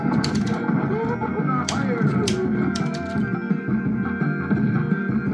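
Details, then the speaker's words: Arcade1Up Big Blue cabinet after scanline firmware update: game music dull, boxy and distorted with almost no treble, as if speakers are covered; muffled distorted speaker audio after the update, cause unclear. "It's really distorted. It almost sounds like there's something covering the speakers. It's not clear and crisp."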